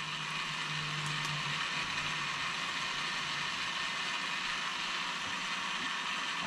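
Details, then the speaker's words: Traxxas XRT Max6 ESC cooling fan after reprogramming: spins at constant speed with raspy whir and fine ticking; fan sticking, seems to be hitting the case. "This fan is sticking. You can hear it."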